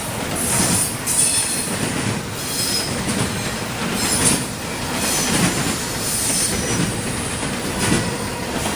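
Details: CSX intermodal freight train passing in Georgia: sharp high-pitched screeching comes and goes over the rumble and clatter of the cars; wheel squeal against the rail.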